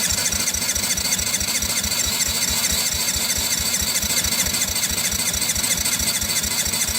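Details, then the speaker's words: 1985 Yamaha Moto 4 80cc ATV, carburetor untouched, fresh fuel, plenty of spark, Champion plug fitted after old resistor plug tested bad; slow even cranking under loud hiss, choke on, never fires: cranking no-start, cause unconfirmed. "So let's see if anything else happens when we try it now. Nothing yet. Let's try the choke on. See if that helps any."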